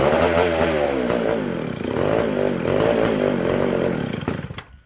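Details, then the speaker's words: McCulloch SP125 chainsaw: buzzes unevenly, hunting and surging, then dies, lean; carb not drawing fuel or pulsating, gas cap sealed off with venting in doubt; a large carb-to-intake gap was later found. "Not wanting to pull fuel. It's not pulsating."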